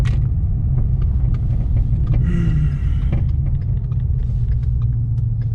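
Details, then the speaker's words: Mustang rear passenger air-strut suspension after hitting a freeway pothole, recorded while driving: sharp, irregular metal-to-metal knocks over bumps under road rumble; broken shock mount, since replaced. "basically long story short I'm getting a weird hard metal-to-metal knock coming from the rear passenger suspension"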